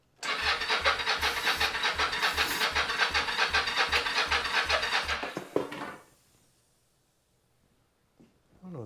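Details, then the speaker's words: 1983 Yamaha XZ550RK Vision, not run in about 20 years, spark confirmed, fuel tank removed for cleaning; steady cranking about 2.5 beats a second, brief stumble as it tries to catch, then dies; fuel pump heard trying. "noise is oh it's trying to which is good these are the fuel lines I guess the pump is trying to work because I heard some noises"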